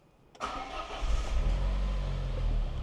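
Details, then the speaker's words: Citroën XM 2.0 turbo (TCT), over 25 years old: a brief crank, then it catches at once and settles into a smooth, even idle; a clean, healthy start. "Elle démarre évidemment au quart de tour, c'est pour ça que j'ai pu rentrer avec en roulant."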